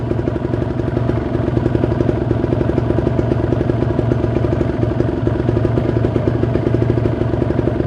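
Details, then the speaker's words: Kawasaki Ninja 150 RR two-stroke, rarely ridden, warming up at idle around 1000 rpm: steady, even idle with crisp rapid pop, no misses or knocks; engine sounds cool, oil circulation good, normal idle. "ini adalah suara mesinnya suaranya masih Oh ya terdengar jelas suaranya masih adem sirkulasi oli lancar"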